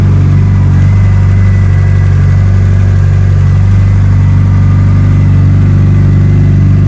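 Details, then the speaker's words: Mitsubishi Evo arriving for tuning, first cold start with no throttle input, before base timing is set: deep, even idle hum with steady beat, no misses, stumbles or hunting; still warming up, sounds good, normal cold idle. "Still warming up. So, we're getting there. But it sounds good. It's running good. Nice start."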